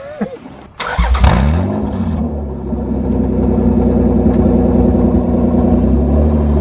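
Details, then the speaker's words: V6-swapped Toyota MR2 on its first drive under its own power, engine still a bit cold, exhaust fitted without muffler: loud, deep, even V6 rumble building smoothly with raw open-exhaust bark, "sounds like a race car, so meaty"; healthy, just unmuffled. "it actually sounds like a race car it's so meaty"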